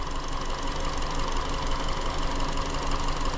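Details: 2017 Hyundai Elantra 2.0 GDI non-turbo with a very intermittent P0303 cylinder 3 misfire, caught while acting up: idle with an uneven stumbling pulse about three times a second instead of a smooth beat.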